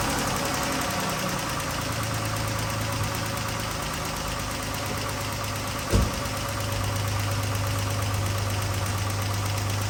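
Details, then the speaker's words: 2012 Chrysler 300 3.6L, the known tappity tap before repair: steady idle with fine quick ticking and one sharp knock midway; failed rocker follower roller bearing chewing into the cam. "Got the old Chrysler 300 with the 3.6 liter, the famous tappity tap."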